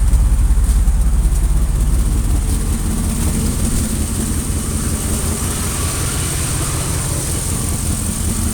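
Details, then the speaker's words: 2001 Dodge Ram gas truck with exhaust leaks at the manifold and rear, a new IAC, and a TPS code, idling warmed up at 40 degrees with a steady, smooth low rumble and no hunting; normal idle today despite its rough-idle history. "she's actually idling really nice and smooth like she normally does and that's where she should idle around"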